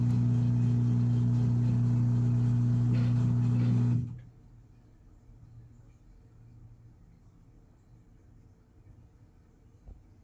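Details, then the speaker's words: Washing machine on spin cycle during repair: drain pump hums steadily for about four seconds, then quiet with no spin-up; drains but drum does not spin, and the cycle keeps resetting and starting over. "It's not doing anything. It's draining, but it's not spinning. And then it went back. See, this is what it was doing before. Kept going back, starting over."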